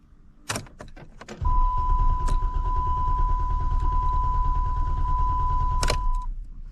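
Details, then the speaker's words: 2013 Dodge Challenger crank-no-start: starter churns steadily about three beats a second under a chime but never catches; fuel pump not heard priming despite 13.08 V battery, fuel pump suspected, not yet confirmed. "No. I don't hear the fuel pump at all. So, we may have a problem with the fuel pump on this vehicle."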